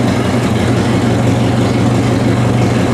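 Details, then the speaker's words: Vintage Ford tractor, cleaned carburetor: low, slightly uneven idle with a soft irregular flutter while the idle screw on the side of the carburetor is turned in a little to take the flutter out. "You can hear it from the flutter on it, but as I turn it in just a little bit."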